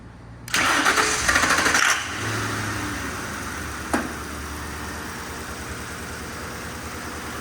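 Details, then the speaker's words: 1966 Ford F100 on a 2010 Crown Victoria chassis, started on starter fluid with the fuel pump disabled via the inertia switch. It cranks, catches and settles into a smooth, even idle with no knocks; normal idle. "I don't think it's getting any cooler than that right there this thing runs quiet doesn't make any crazy noises"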